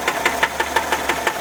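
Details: Sharp, regular knock about five or six times a second over a quiet idle on a 1979 Volkswagen Type 4 engine; steady, distinct idle knock, source still unknown.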